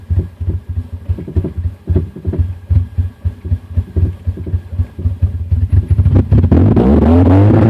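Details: 2000 Honda CR-V with B20Z engine: uneven, stumbling idle with irregular dropped beats before a brief rev; misfiring and struggling to stay running, with stalling.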